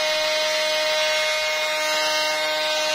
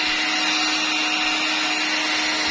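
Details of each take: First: Electrolux Ergorapido 2-in-1 Allergy cordless stick vacuum running with a loud steady whine and harsh rushing hiss, much noisier than normal; excessive running noise, cause not confirmed. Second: Electrolux Ergorapido 2in1 Allergy cordless vacuum after the noisy part was refitted correctly: a steady airy whoosh and constant hum with no knocking, now running smoothly and normally.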